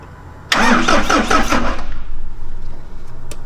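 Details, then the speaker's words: Old diesel rat rod car being cranked just after new fuel filters were fitted, injector loosened to check for fuel: starter turns at about four beats a second but it never catches; no fuel at the injectors yet, needs time to bleed through. "Go ahead and crank it a little. Let me see if we get fuel out of this injector."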